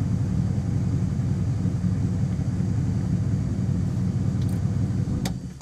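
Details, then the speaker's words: 1966 Plymouth Fury V8 after rewiring bypassed ignition wires (coil voltage had dropped to zero while cranking): steady, even low rumble with no stumbles, surges, bucking or backfires; normal running. "that's right no more jumping around bucking surging and no more backfires you can hit throttle and just boom she's good now"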